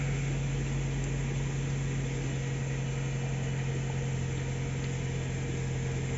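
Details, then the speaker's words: Subaru Forester after fixing crank-no-start with no fault code; rats had damaged part of the fuel pump. Cold-start idle: steady low drone with an even pulse of about 220 a minute and no misses, slightly high but smooth. "Okay na siya mga idol cold start medyo mataas yung Menor pero Babayan Ayos na"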